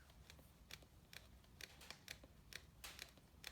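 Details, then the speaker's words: Sound Cubed HC3 18-inch subwoofer with carbon dust cap that seemed to play fine: pushing on the cap gives faint, sharp, uneven clicks from a failed triple joint in the suspension; coil rub is another possible cause. "so right away you can hear a faint clicking sound is what it sounds like so that immediately should tell you um as a buyer or even as the seller that there's something wrong with the sub"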